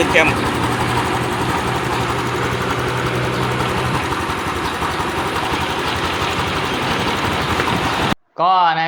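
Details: Honda Wave 110i after reassembly: smooth, even engine run with a steady note and no howl rising with revs. The howl was traced to the cam bearing; the timing gear was hard to fit.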